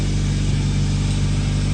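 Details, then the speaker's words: 2013-2019 Nissan Sentra after muffler replacement: smooth, even low idle hum with no rasp, rattle or drone; exhaust super quiet, as it should be. "Nothing out of here. You don't even hear it. Super quiet."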